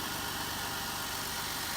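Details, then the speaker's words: Jeep Wrangler JK (JKU) idling after power steering pump and pulley replacement and air purging stop to stop: steady, even hum with no whine, groan or knock; running nice and smooth, normal idle. "And everything's running nice and smooth."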